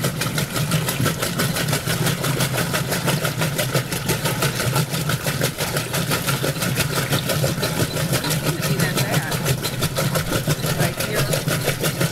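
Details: Roper washer during an agitate cycle: regular thumping about three times a second following each agitator stroke. Clunking in the agitator drive during agitation, cause unknown.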